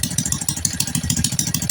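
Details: Honda Kharisma/Supra X125 motorcycle that stalls after about 1 km: loud sharp popping puffs at each firing over an uneven idle, exhaust leak at the header joint.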